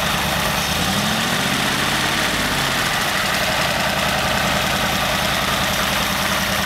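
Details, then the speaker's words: Very old stock Studebaker 259 V8 with AFB carburetor and new Evans intake, third restart test: catches within a second or two and settles into a steady, even idle rumble, no misses or knocks; normal start and idle. "okay that looks like a winner to me and so that's the Evans first test"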